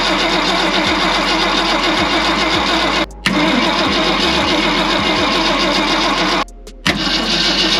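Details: 1965 Ford Galaxie 500 on points ignition: the starter churns steadily with brief pauses but the engine never catches. Carb cleaner was sprayed in, the coil gets power, and the battery reads 10 volts. There is no spark from the points, so a Pertronix ignition swap is planned.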